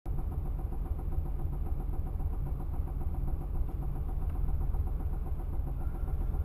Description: The sudden banging was a broken rocker, and the push rod was banging on the rocker cover.